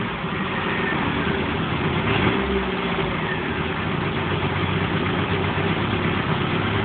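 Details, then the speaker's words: 1978 Triumph Spitfire after head gasket replacement and new carburettor needle valve, warming up: steady low idle with a slightly uneven, lumpy beat. Runs much better but is not yet tuned; mixture and valve clearances still need setting. "can see it's iding a bit better you can hear it's not tuned 100% yet but it's running a lot better"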